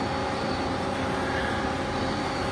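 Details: 2022 Smart SM-1165 vertical machining center, CAT 50 Big Plus, 30-tool, spindle up to 6,000 rpm, axis rapid traverse. Smooth, steady whir with a faint even tone and no grinding, knocking or rough spots.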